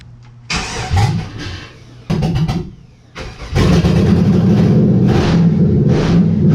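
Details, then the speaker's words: 1991 Chevy S10 (OBS) LS-swapped 5.3 V8 with 4L60E, cranking in park after wiring 0-gauge cable and testing new neutral safety switch (no crank in reverse/drive); starter churns in short bursts at about four turns a second, then steadier cranking. "now we're gonna put the car in park this should start well it should start the starter fire though so that's a plus"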